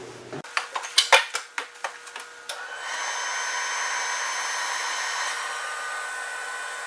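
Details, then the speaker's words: Webasto 90ST preheater on a Ponsse Buffalo, before cleaning, in a 65-degree shop, about 2-minute start cycle: handling clicks, then combustion fan spins up into a steady, even whir; normal start-up. "FYI, it is about a 2-minute start cycle on these things, on most all of them."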